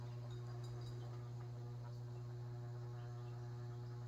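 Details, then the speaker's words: Kitchen ceiling fan, reinstalled and cleaned, at top speed with a weak motor. A steady low hum with a faint rhythmic beat; one light fixture is vibrating, and the owner suspects a bent blade is causing it. "It's not even shaking that bad at all. Very. I think one of the light fixtures is vibrating."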